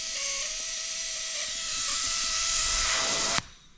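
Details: Accucraft/Aster USRA Heavy Mikado 1/32 gauge-one live-steam locomotive, alcohol-fired, gauge near 60 psi while setting replacement safety valve: loud steady high hiss blowing off over three seconds before snapping shut; safety valve slow to reseat.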